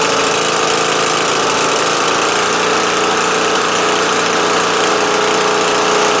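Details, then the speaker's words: Murray LT widebody lawn tractor, Briggs 12.5HP flathead, with fuel flowing and oil at add line: steady, even single-cylinder run with no misses, surging or knocks; running fine. "let me try that magneto wire again I don't think it's gonna work though but how about it started ran stayed running sounds ok"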